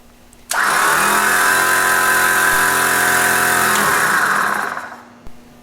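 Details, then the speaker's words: Warn PowerPlant Dual Force HP winch/compressor on a Jeep TJ front bumper, post-install test with remote on compressor setting: compressor runs about four seconds with a steady, even buzzing hum, then spins down smoothly; normal. "Plug the remote into the left side of the power plant, then flip the knob to the compressor setting and turn it on."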